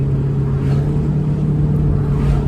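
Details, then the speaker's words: Ford EB2 Fairmont Ghia with a 302 Windsor V8, about 32 years old, first drive: deep, even rumble holding steady while cruising, no drone, a healthy exhaust note. "exhaust, you can hear it's a V8, but it's not too intrusive in terms of, like, there's no drone or anything like that. Yeah, it sounds cool."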